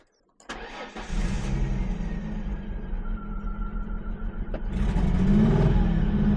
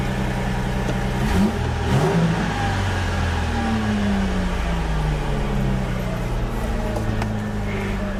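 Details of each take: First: 2004 Ford Mustang sitting in desert, cranked with starter fluid sprayed in intake: steady starter cranking about four beats a second without catching; seems to be missing fuel, fuel pump suspected, may require tank drop. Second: 2004 Ford Mustang that sat in the desert for years, after the fuel tank parts were refitted: the engine picks up and settles to a smooth, even note, revs rise cleanly with no misses or knocks, and it runs well.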